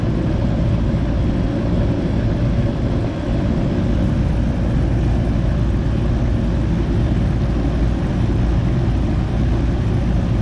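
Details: Goodman AC unit after replacing a bad 45/5 MFD run capacitor: steady low hum with constant fan rush, no clicking, buzzing or stalling; compressor and fan run evenly, normal running.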